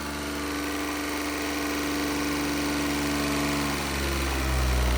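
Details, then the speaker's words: Newly installed replacement motor at first start after ECU calibration: fast, even high idle with a steady hum and a smooth rise in speed near the end, no knocks or misses. A healthy fresh engine. "woo got that high idle going"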